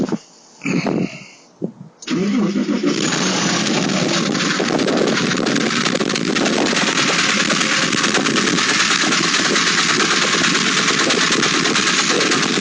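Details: Late-model Porsche 996 911 Carrera 4, noise present about two months and 2,000 km; it stops when lifting off the throttle while driving, so owner suspected the fuel pump. After a start, busy uneven mechanical clatter over the running note; internal engine noise, engine replaced.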